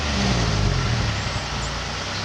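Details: Car exhaust after exhaust leak repair with Grand Prix GXP tips fitted: deep, even rumble with a light rev, no ticking or puffing from a leak; exhaust sounds sealed and healthy.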